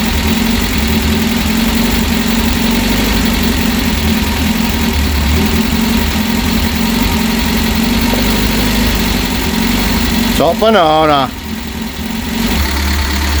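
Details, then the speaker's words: Freshly rebuilt Reliant Supervan engine ticking over on its own for the first time: steady even smooth low hum, no knocks or rattles, same as other known-good engines; normal idle. "that is ticking over on its own for the first time since I've rebuilt that engine and I cannot believe it it sounds just the same as all the others which is a good thing because obviously I know that the others are okay"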